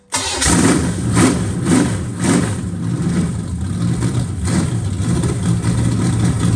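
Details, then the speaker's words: Brief cranking, then a strong, steady low V8 rumble with no misses at the first fire of a freshly rebuilt Chevy 350 on a test stand in freezing weather. It has a new Brawler carburetor, untouched out of the box, and new Hedman headers; it runs healthy. "thumbs up to brawler carburators that that worked pretty good right out of the box"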